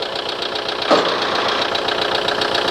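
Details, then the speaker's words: Toro TimeCutter SS 4225 mower with a no-start, about 40°F, plugs dried out and starting fluid sprayed in; engine sputters trying to catch with one sharp pop: flooded carburetor, rapped with a hammer. "carburetor is flooded"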